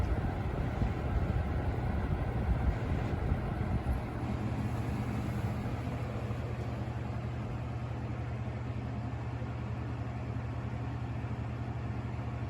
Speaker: blades out of balance too it's got a little bit of vibration and i can hear it here